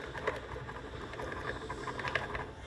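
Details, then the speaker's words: Honda Titan 150 motorcycle: quiet idle under a loose, irregular patter of light clicks from the top end, like a dragging bearing; the camshaft has play, so the camshaft needs replacing. "Esse motor pessoal tava fazendo um barulho como se fosse rolamento arrastando pessoal alguma coisa assim realmente era pessoal aqui ó ele tá com folga e dá para você ver o barulho"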